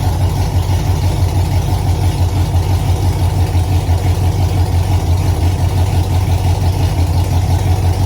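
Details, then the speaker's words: Cadillac CTS-V just fitted with Texas Speed heads and cam, first start before tuning: deep V8 idle with uneven loping beat about three pulses a second; rough idle from untuned cam. "And it fired up, and I was trying to tell my brother that it's not tuned, so it doesn't soun"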